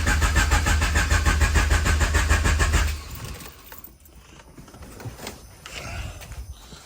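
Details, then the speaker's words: H22-swapped CB7 Honda Accord turbo build after battery relocation to trunk and 0 gauge power wire; steady, even cranking about three beats a second for three seconds, never fires; cranking stronger than before, no-start cause unknown. "I will say the starting is way better. That sounds healthy and strong. It was definitely I can't get it to start still. I don't know what's going on here."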